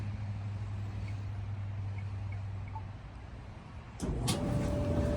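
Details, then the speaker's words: Whirlpool WED5100HW0 dryer running after a blower replacement fixed a scraping noise: smooth, quiet drum and blower hum with no rubbing, and it heats normally. "Nice and quiet now. Hopefully the washer is this quiet. Oh yeah, we got heat. She's running good and the light works."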